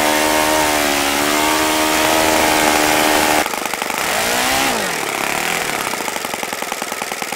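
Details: OS FS-95V model four-stroke, first run after rebuild with bearings believed replaced, 15% fuel, 14x6 prop, electric start: high clean buzz holds steady, drops and climbs smoothly with throttle; throttle arm too free for low idle, otherwise fine running.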